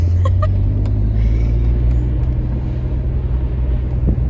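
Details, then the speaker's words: Nissan Skyline R32 GTR with twin turbos on its first drive at about 50 km/h: deep, heavy drone with a few sharp early ticks and no spool whistle. The boost gauge shows no boost, and the owner suspects a large leak and an exhaust leak. The engine works hard and revs slowly. "mean i'm driving it's cool it sounds like smooth besides the exhaust leak but the engine's definitely working hard because it's revving really slow even on a free rabbit reps"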